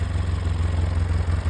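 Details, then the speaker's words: Free Polaris 700 quad, idling in gear around 1350 rpm on tach: low, lumpy idle surging and shuddering unevenly, visibly vibrating; runs better after idle set toward 950 rpm. "I mean, that's running okay. Wheels on. Oh, she's in gear. I think I can live with that. She's a rough runner."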